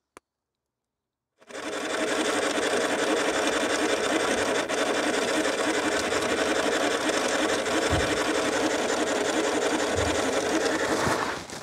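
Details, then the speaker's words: Suzuki Grand Vitara, parked. A steady, even electric whir for about ten seconds, then it cuts off; owner suspects the left headlight trying to do some adjustment, not confirmed; electrical whirring noise. "it's making weird noises again some kind of electrical adjustment which I wouldn't expect on something this old"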